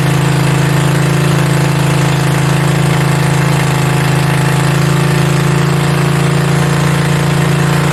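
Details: Mini bike V-twin, a generator engine, first start with belt off and throttle knocked up; fast even chugging that never settles; idling way too high, fix is the idle screw underneath needing a screwdriver.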